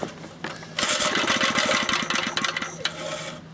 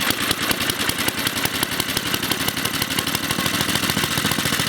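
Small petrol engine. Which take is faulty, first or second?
first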